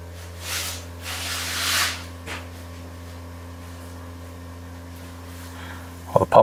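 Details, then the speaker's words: Jaguar XF (X250) ABS pump bleed via iCarsoft CR Max scan tool, front right bleed open: steady low electric hum throughout with some hiss and handling noise; ABS pump running normally during bleeding. "pump's definitely making noises. Pump is still making noises."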